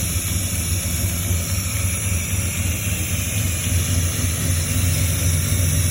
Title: Exhaust leak fixed